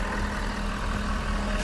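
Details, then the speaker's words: 2021 Ford F-150 PowerBoost idling while powering a large air compressor through the onboard inverter: steady low rumble and constant hum at a slightly higher but even idle; normal raised idle under electrical load. "all that power has come through this which is never designed i do hear a high a little bit higher idle"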